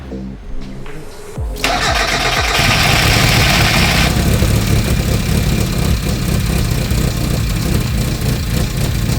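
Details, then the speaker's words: 1992 Mazda Miata NA 1.6L, long sitting, first start on a new ECU after setting timing: brief crank, then uneven lumpy idle with unsteady beat, not running right; smoke first taken for oil was fuel. "It's not running right at all."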